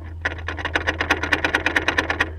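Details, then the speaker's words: Honda S2000 with a popping and clicking complaint, original propeller shaft rocked by hand under the car: a quick run of sharp metallic clicks, about eight a second; the worn shaft joint has excessive play and needs replacing. "but it's become so bad now that if I believe it needs to be replaced joking it's already jumping listen to that when I turn this wheel very sloppy"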